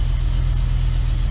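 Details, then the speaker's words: 2007 BMW E63 M6 (V10): uneven, stumbling idle with irregular skipping thump and shaking; one passenger-side cylinder not firing, suspected failed coil pack, other cylinders working; coil pack and spark plug to be replaced. "it's not happy at all it's not able to fire that so I'm guessing it's probably the coal unfortunately the rest of them seem to be working"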